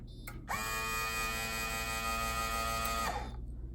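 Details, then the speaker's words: Coinco bill validator: at start-up a steady, strained high-pitched motor whistle for about two and a half seconds as the drive motor tries but fails to run, then the stacker goes; bad drive motor needing repair. "A bad drive motor can also sound something like this. I don't know if you were able to hear it but it makes a high pitched whistle because it's trying to run and it can't but then the stacker goes."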